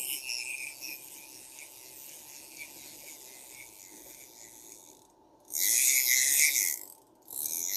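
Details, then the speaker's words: Hand-cranking a restored vintage Garcia Mitchell 410 high-speed fishing reel: fine steady ratcheting from the clicker with some normal gear noise, no rough or gritty bearing sound, running smoothly. "feels good I don't feel any bearing noise just that got that noise from the clicker they have a lot of gear noise anyway but it'll get smoother as it gets used"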